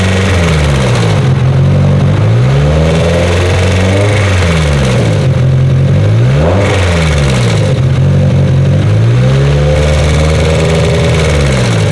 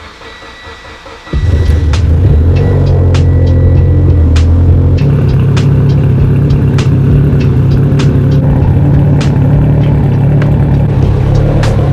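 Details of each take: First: Mitsubishi Evo engine after boost spiked to 45 psi on pump gas: sounds fine at idle, but revving brings a rough internal noise that rises and falls with rpm; engine to be torn down. RPM-dependent internal engine noise. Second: Mitsubishi Evo 10 with new engine and transmission, first start on EMU Black standalone ECU after a suspected flex fuel sensor issue: short crank then steady even idle with music behind; running and idling perfectly.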